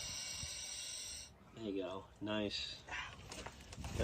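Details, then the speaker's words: Pacific Palisades fire, Los Angeles: steady high hiss of gas escaping from a broken gas valve at a burned house before voices cut in. "he says he's been to dozens of these today and you can actually hear the gas hissing out of the broken valves"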